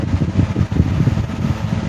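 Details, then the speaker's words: 1970s 16-inch Toastmaster box fan with replacement 1940s desk-fan blade set, freshly oiled, on low speed: low even whoosh and soft steady hum, no ticking or scraping, strong airflow swaying the camera; normal fan operation. "Pretty sure that you see the camera there swaying around. In other words, it's got some air volume to it."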